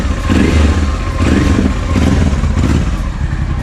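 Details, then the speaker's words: Honda XL650V Transalp after starting, new Arrow exhaust with dB killer, new plugs, fresh oil: loud, deep V-twin thump idling steady with light throttle blips, no knocks or rattles, burning off residue; normal idle. "zupełnie inna praca z tym wydechem na czystym kolektorem"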